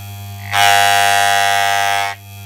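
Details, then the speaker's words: Wahl clipper with the power screw turned clockwise: the hum jumps to a harsh, loud rattling buzz for about 1.5 seconds. The screw is over-tightened; the fix is quarter turns anticlockwise until the sound goes away. "So to do this, get the screw and turn it clockwise until you can hear a really loud sound."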